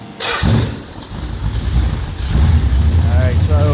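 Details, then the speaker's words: Pontiac Quadrajet carburetor engine before choke pull-off adjustment; catches after a short crank, then a rough, stumbling, wavering idle, suspected out of gas. "this thing's running a little bit rough probably out of gas"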